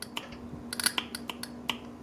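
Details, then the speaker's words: Honda CRX B16 idle air control valve, removed and bench-tested with clip leads on positive and negative while chasing check-engine code 14: sharp dry uneven clicks, about seven in two seconds, as the plunger slides back and forth; IACV works. "And every time you do that, you'll hear it open and close, and what's that doing? It's sliding back and forth. So it sounds like this IACV is working."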